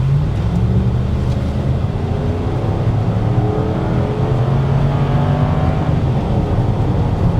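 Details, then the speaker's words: 1999 Ford Taurus SHO V8 automatic, driving: revs climb steadily for several seconds in first before upshifting, no flare or slip; slightly sluggish first-to-second shift, cause unknown. "Does seem just a tad sluggish on first gear, doesn't it? Just not bad, not like a slip or anything. It just seems like it takes just a little bit longer in first gear before it shifts down."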